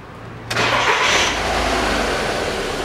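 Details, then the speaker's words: 2007 Volkswagen Passat B6 2.0 after clearing fault codes P1400, P3089 and P1063: catches at once, quick clean rev, settles to an even idle with no hum. Throttle now much more responsive, no check-engine light, no new codes; normal start. "на педаль такая отзывчивая стала раньше такого не было"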